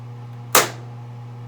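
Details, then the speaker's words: Samsung washer that had been giving a DE/D5 door error, retested after its parts were tightened. The door lock latches with one sharp click over a low hum, and the wash starts. The door error seems to no longer appear, so the lock is working normally. "unlocked so it should lock again and then start there's a lock there's the starting path so i think it's no longer doing that same door error"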